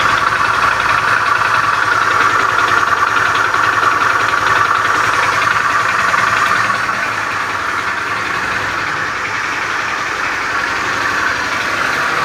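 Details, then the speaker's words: Beat FI scooter with a rough starter, idling in the workshop: a rough, uneven, mid-pitched clatter through the idle that does not smooth out. The mechanic's analysis suggests a worn, damaged connecting rod. "ini suara kasarnya ditimbulkan sepertinya analisa dari mekanik bengkel ada keausan dan kerusakan pada stang sehernya"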